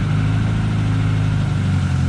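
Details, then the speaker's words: K-series engine-swapped MG Midget before its first short drive: steady, noticeably fast idle with no dip or hunt. High idle seemingly from an inlet manifold gasket leak, resealed with the manifold off; better but not perfect. "high idle turns out that that seems to be a leak from the inlet manifold gasket so I had the manifold off put some seal around it and I think it's better not perfect but I think it's good enough to go for a drive"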